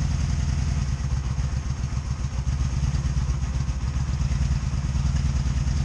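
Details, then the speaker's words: 2002 Honda Magna VF750C during rebuild, plugs gapped to spec, one rear plug dry: low lumpy stumbling idle with popcorn popping on one side; one cylinder misfiring. "you hear it missing hear it a little popcorn popping popping on that side"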